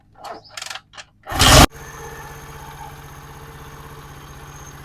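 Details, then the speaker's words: Bike engine after fitting a new tensioner spring and retightening the 14 mm nut: starts and settles into an even, steady idle with no tapping or rattle from the tensioner side; engine noise fixed, running healthy. "तो आपने देखा बिल्कुल थोड़े से खर्चे में जो है बिल्कुल हमने भाई को बे आवाज कर दिया"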